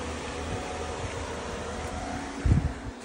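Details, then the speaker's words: Vehicle parking (engine-off) air conditioner, stock unit before noise fix, fan at step 1: steady droning hum from the outdoor unit, heard outside, noticeably loud. "똑같이 1단계로 설정할 거고요.요 정도 소음이 나고 있습니다. 밖에서는이 정도 소음이 나고 있습니다."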